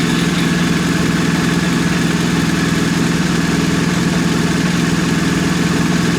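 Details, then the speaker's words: 2020 BMW R1250R boxer after fitting the updated 2023+ timing chain tensioner (19mm head) to the left cylinder, torqued to 32 Nm: smooth, even idle with steady low thrum; the earlier warm-engine ticking is gone. "No more. Yep, no more sound. Awesome."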